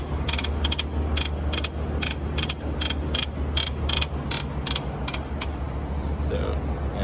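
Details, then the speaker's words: Cessna 172 taxiing slowly with brakes off: sharp repeated pops, about two a second, that seemed to come from the cockpit and got louder with the fairing removed. Traced to a loose main gear axle where it bolts to the strut. "okay well it is definitely the axle where it attaches to the st"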